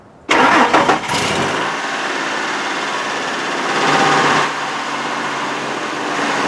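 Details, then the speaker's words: 2003 Ford F-150 4.2L V6 with intermittent crank-no-start, after installing a new Delphi FE0479 fuel pump and reconnecting the battery: brief crank, catches and settles to an even idle with a small rev bump; starts cleanly, no leaks. "up okay it's running and we'll take a look there I don't see any leaks I think we're good I think we're good"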